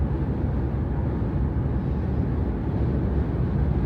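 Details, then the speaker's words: Jeep Grand Cherokee WK2 at about 75 mph on the freeway, the speed where the windshield cowl had hummed, after the free fix: only a dull, even rumble of road and wind noise through the chassis, no cowl hum. "as you can see now it's quiet can even go a little further now we have more wind noise in the chassis but the cowl is completely quiet"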